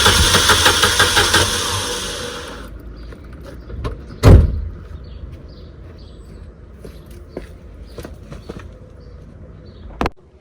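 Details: Corsa B, 1.0 gasoline 16-valve engine that started and then died: steady starter cranking for a couple of seconds that never fires. The fuel pump was condemned, but the fuel pump relay was found to cause the problem.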